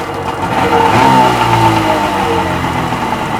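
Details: Rebuilt Seadoo XP 720 two-stroke, driveline disconnected, running on a water hose in the driveway: crisp buzz swells with a blip then settles, firing evenly with no knocks or rattles; normal running.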